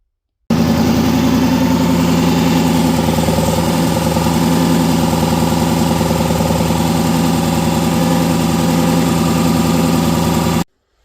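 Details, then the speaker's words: Coyote engine swap in a Ford Ranger, reassembled, good oil pressure, not yet warm, Mustang balancer replaced but noise remains. Steady idle with a rhythmic knock every few firings from the back of the engine; flywheel rubbing the separator plate. "That's not shaking anymore, but the noise is still there, and I'll insert a little video of that Mustang balancer wobbling on here."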